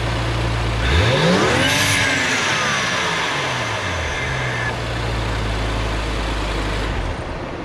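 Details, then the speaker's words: 2014 BMW X5 335xi (N55 turbo), fully warm, after a cheap cold air intake and exhaust mod; revs blip up and settle while a whistle climbs with revs and falls away, the turbo now audible. Normal revving. "I drove it around a little bit, and you can hear when you're on it, and you can actually hear the turbo now instead of, you know, just nothing."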